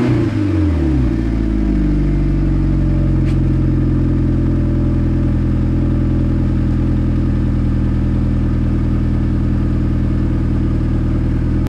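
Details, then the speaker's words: Mitsubishi Lancer Evo 6 after fitting a genuine standard exhaust and new catalytic converter in place of the snapped, rotted one, gasket still missing. Cranks, catches and quickly settles into a steady idle with a smooth deep note, no blowing or rattling. Normal exhaust note. "When you're outside around the back of the car, it's got a lovely tone to it, no more buh. It just sounds perfect to me."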